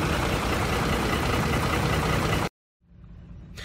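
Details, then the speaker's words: 2004 Ford F-150 5.4L 3-valve V8 on a test drive: steady idle with a fast, even knocking tick about four a second, bad enough to hear outside the vehicle; cam phaser knock, usually worse on the passenger side. "okay so this right here is a phasor knock you'll be able to hear at your real weld this one's pretty bad so I can hear outside the vehicle also take a listen usually it's worse on the passenger side"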